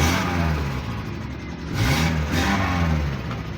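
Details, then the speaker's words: Vehicle that would not start and would not read codes, fixed by replacing a blown 15 amp fuse: now starts quickly and revs cleanly on each blip, without misses or clatter; healthy. "Start na natin. Yanandar andar na mga ka-idol."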